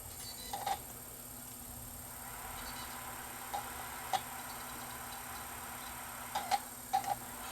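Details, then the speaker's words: Sony BDP-S350 Blu-ray player that would not play discs, after pickup adjustment: faint irregular ticks as the red laser seeks, then quiet; the drive loads and reads the disc normally. "It's trying the red laser. So it didn't detect, but the disc wasn't fully loaded when it first went in. Okay, now it's going to pick up."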